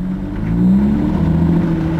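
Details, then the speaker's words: SRT-6 pulling away slowly in gear: low engine drone with a steady whir firming as revs climb; the supercharger cuts in around 1300 rpm near 20 mph and drops out in neutral, normal engagement. "so the supercharger turns on when the car is going into low speed metal I'm doing 20 miles an hour I put it in neutral supercharger goes out immediately"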